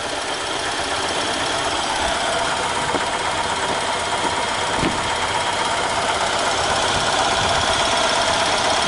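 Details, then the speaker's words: EZGO Workhorse golf cart, Robin ST350 engine idling in neutral with the breather off after carburetor clean and starter change: steady, even idle with light mechanical clatter, no misses; engine has vacuum but no gas seen coming out. "I mean the engine's got vacuum you hear it why is see no gas coming out well anyway I'm showing you guys it's running"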